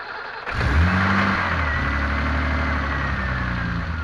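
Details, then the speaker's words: BMW M30B35 petrol engine on a road test after power steering pump bracket was rebuilt to properly tension the belt: runs steadily with steering at full lock, no belt squeal that previously occurred at full lock and in wet weather. "но сейчас я поворачиваю его в крайнее положение и у нас никаких посторонних звуков нет этих скрипящих визжащие во вот этого ремня он пропал"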